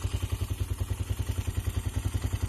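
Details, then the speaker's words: Carbureted engine after carburetor re-jet and hollowing out a clogged, carbon-filled catalytic converter, heat-wrapped pipe still wet and steaming, very cold outside: deep, open exhaust thumping evenly about nine beats a second, no misses or rattles, a bit more bang; normal idle. "But we already here sounds a little more bang. As you can hear."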